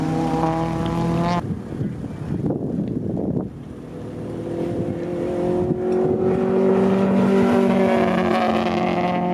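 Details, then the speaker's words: 1988 Honda CRX Si B16A racing on track under load breaks into a choppy sputter, then recovers; the ignition rotor was coming loose on the distributor. "Chris was having an ignition rotor come loose on his distributor. That's why you hear the sputtering."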